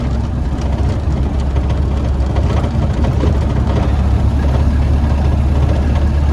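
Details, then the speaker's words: 1931 Ford Model A pickup four-cylinder on the road at 48 mph on a hot day, after misfire fix: deep even rumble, no misses; running great, though radiator soon starts overheating. "how long do you want me to keep going that's good enough 48 mph it's running [Music] great I don't like going much faster than this"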